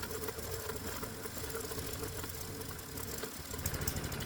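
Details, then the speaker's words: Hot-bulb semi-diesel lawnmower engine running on gasoline with the spark plug disconnected after warm-up, carburetor leaned out; hard, uneven rapid rattling knock, harsh and strained, sounding seconds from blowing up. Harsh knocking from auto-ignition running. "And that's because the way this engine sounds when it's running as a semi-diesel, well, it sounds like it's seconds away from blowing up."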